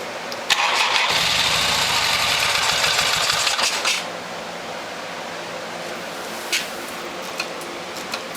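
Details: 1972 Harley XLH Sportster (homemade 1973 bike) after carburettor cleaning and a stuck choke/enrichment valve: about three seconds of loud, rough cranking with uneven low chuffs, dying without catching; hard to start. Cause not confirmed.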